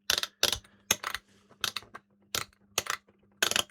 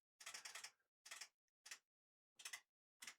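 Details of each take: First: Late-1990s Kenwood KA-5090R amplifier, motorized input selector switch after cleaning with lubricating contact cleaner: crisp, even detent clicks about one and a half per second with no scratching; it turns smoothly. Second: Late-1990s Kenwood KA-5090R amplifier: irregular bursts of sharp clicking as the motorized input selector switches sources by itself; suspected dirty or worn switch or a dry joint, not confirmed.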